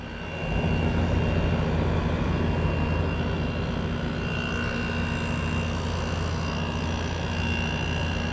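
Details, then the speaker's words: Kool King window air conditioner after cleaning, first startup of the year on low fan and cool: a very smooth start settling into a steady, even hum with a soft evaporator hiss. "That one was really smooth. Holy cow, that one was really smooth. You can hear the evaporator hissing up."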